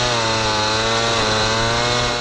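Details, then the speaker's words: Tuned Piaggio Ciao moped, Polini Evolution, 75cc Pinasco cylinder, 19mm carburettor, after a test ride: steady high two-stroke scream, then revs sag as it slips; loose drive belt, jetting possibly slightly small. "We are back from testing But we already found some Problems The belt is not really tight as you can hear:"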